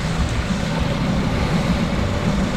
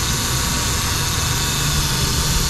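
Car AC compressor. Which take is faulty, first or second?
second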